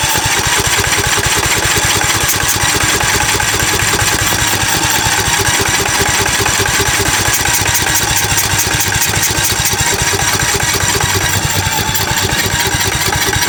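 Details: 2006 Cub Cadet LT1045 riding mower with a high idle, after moving the spring to a different hole; fast, uneven pulsing idle that never settles to a proper low tickover, so the idle is still wrong.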